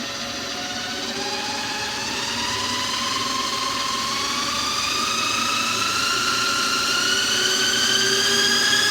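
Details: Lathe spinning up toward top speed: a thin whine climbs steadily in pitch, loud over the motor; drive belt whining at high speed.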